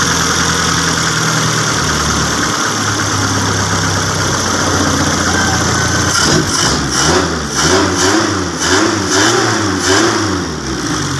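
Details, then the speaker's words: Custom Suzuki Jimny with new wiring and its exhaust muffler still removed: loud, raw idle and blips with a harsh crackling bark. "ini suaranya agak berisik karena di bagian dari e nalpotnya masih kita lepas"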